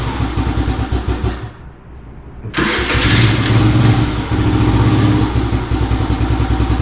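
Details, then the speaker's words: 2017 Kawasaki KFX50 ATV that hadn't run in years, running with airbox refitted; catches after a brief pause and settles to a steady but slightly low, lazy idle, idle speed wants raising a touch. "sounds like it may still need a little bit of adjustment on the idle or maybe idle it up just a little bit but other than that it sounds pretty good"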